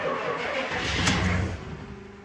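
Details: Diesel truck with aftermarket parts-store starter, sitting about a month on uncharged batteries, glow plugs cycled: short burst of cranking, then it catches and settles toward idle; starts, starter quality not judged by ear.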